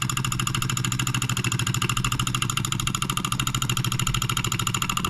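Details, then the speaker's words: NOS late-1940s/early-1950s Wilkemp Jr Model E solenoid engine from Fishers Indiana, possibly first run in 70+ years: quick even clacking about three per second, steady, shaking slightly from poor balance, running well. "it doesn't appear to be very well balanced it's shaking a little bit but it seems like it's running really well"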